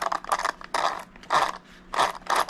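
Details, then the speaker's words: Traxxas Hoss after swap to 26/50 pinion and spur gearing, mesh adjusted from too tight; drivetrain turned by hand gives short even whirring "ding ding" bursts, no binding or crunch; good gear mesh. "you should be able to hear that ding ding hear that that means he has a good mesh"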